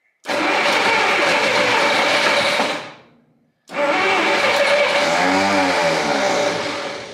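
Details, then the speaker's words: 1959 Studebaker Lark, 259 V8, first start after 36 years sitting, on choke. Two loud revving bursts catch and die, then fire again with a harsh, uneven "awful noise". Heavy smoke comes off one side and the owner wonders if the block is cracked. "yeah yes why is that awful noise oh yeah yes it's a runner I can't believe it"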